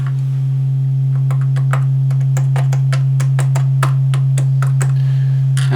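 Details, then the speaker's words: Marshall JCM900 amp, warmed up after a new socket was soldered in to fix low-volume distorted output: a strong, steady low test tone at constant level with a few light taps; the fault is cured. "we have cured that problem we've killed that problem"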